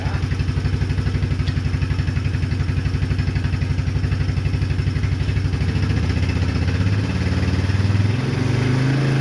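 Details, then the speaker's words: Old Yamaha Kodiak ATV started after about two years sitting, with an oddly modified exhaust that touched the plastic. The single cylinder idles with a hard, even thump about four beats a second, beyond loud and open-sounding. Loud modified exhaust. "we had to cut this off because he did some strange things to the exhaust. I'll show that a little later when we tear into it. but it is beyond loud, and it was touching the plastic."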